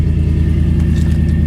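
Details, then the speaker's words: Salvage-auction vehicle, 30,000 miles: deep, heavy idle rumble with a fast, even throb and no muffled softness; exhaust far too loud, mufflers possibly missing. "I don't know if somebody put a muffler on it or if someone stole the mufflers off of it I don't see that's someone jacked the mufflers are you kidding me no way"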